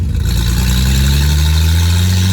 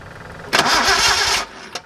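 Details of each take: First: Nissan 240Z with junkyard replacement engine, driving in 4th gear at about 1500 rpm: strong steady drone climbing smoothly with road speed, brief dip at a gear change, then even pull; oil pressure very low and smoke through the floor. Normal running. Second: Datsun 240Z with a junkyard replacement engine after ignition timing was set: about a second of starter cranking that never fires; spark confirmed at a plug, so fuel delivery to the carburetors is suspected next.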